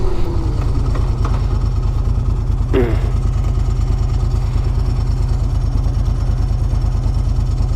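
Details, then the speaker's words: Moto Guzzi Quota 1100 ES test ride: a lumpy V-twin idle with a loose, uneven rattle on the beat at about ninety a minute; the rider wonders whether it's the dry clutch, not confirmed. "I wonder if that noise is something to do with the I wonder if Mona goosies have a dry clutch yes"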